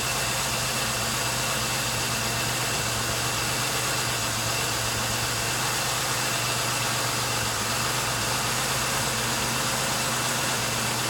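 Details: 1999 Pontiac Grand Am, about 90,000 miles, previously idling rough and stalling, after new plugs, wires, air filter and a fuel system cleaner: steady, even idle with no stumble, surge or misfire dips; normal idle.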